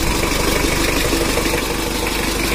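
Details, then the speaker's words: Rebuilt Mitsubishi Strada Triton 4D56T turbo diesel, still breaking in, with injectors and injection pump not yet serviced or calibrated: steady idle with low rumble and clatter, slightly uneven, no knocking; normal idle. "nanti untuk Nokia dan injection pump nya menyusul Gan ini adalah suaranya juga normal"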